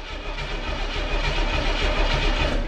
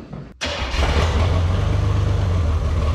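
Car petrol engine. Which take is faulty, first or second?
second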